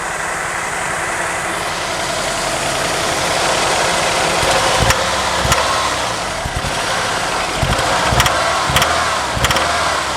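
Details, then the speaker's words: 1987 Ford Thunderbird Turbo Coupe first idle after sitting over 18 years, oil very low: rough running with sharp irregular ticks and knocks over a busy hissy note, turbo audible; noise seems to come from the top end, cause unconfirmed. "Sounds like it's from the top end."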